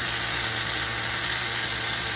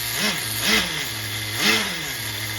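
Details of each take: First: HPI MT2 nitro RC truck on a nearly empty tank after running too rich during tuning: small nitro engine holds a steady, even high-pitched buzz with no stumbles or surges; tune sounds good at idle. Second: HPI MT2 nitro RC truck engine being tuned. It burbles unevenly, blips up three times, then sags and cuts out after about three and a half seconds; it seemed to run lean. Owner suspects the bottom-end mixture, an air leak or a clog.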